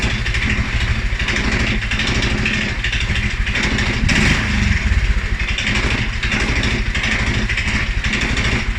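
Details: 2011 Polaris Sportsman 550 XP single-cylinder EFI: low, uneven idle that sags and stumbles after revving a couple times; dealer found TPS, IAC, TMAP in spec, valves, timing, plug and 43 psi fuel pressure good; cause unknown.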